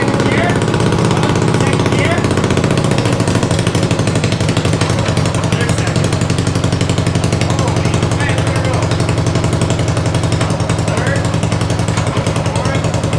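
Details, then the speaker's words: 500cc racing mower build, second attempt after a part broke, loud steady single-cylinder thump at an even rhythm with the wheels turning, no knocks or misses; running normally. "all right we got it running we're not sure if it moves on its own power but it's the wheels turn everything's good"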